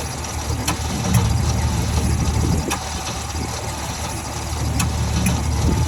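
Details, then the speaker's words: 1949 Ford shoebox after sitting 50 years, HEI distributor, gas poured in, timing possibly 180° out: engine turns over slowly with a dragging low rumble and sharp clicks, never catching. "okay so I was getting obviously really really slow crank"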